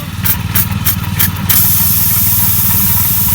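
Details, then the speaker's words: Motorcycle on the TET Albania 2021 off-road trip, engine idling: a steady sharp hiss of air escaping from two small sidewall punctures in a brand-new tyre, later repaired; tyre air leak. "Ah cette fois-ci la fuite on l'entend bien. En voilà déjà une. Un pneu tout neuf."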